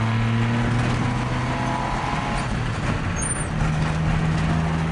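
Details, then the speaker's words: Old truck with a partly redone drivetrain, driving with manual shifting: loose, uneven rattling over a rough engine drone and road rumble. Sounds like loose nuts and bolts, source unconfirmed; the transmission still needs a seal. "And you can hear my truck rattling up like all the nuts and bolts are loose, which they probably are."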